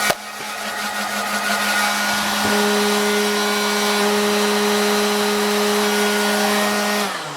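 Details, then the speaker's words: Hot air corn popper with auto-rotate, reassembled after cleaning: steady low hum with buzzing rattle as the little DC motor runs but vibrates badly; bad bushings suspected, motor judged at end of life. "Okay, well, probably we're gonna say bad bushings on that motor, really vibrating, and that little DC motor has seen the end of its life."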